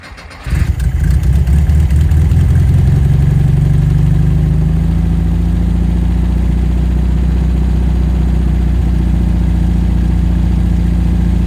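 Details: 1974 VW Thing with scat exhaust, on a stand after freeing a throttle stuck wide open, float bowl filled with regular fuel: catches after a brief crank, then settles into a steady, even, throaty idle with no misses or stumbles. Normal idle.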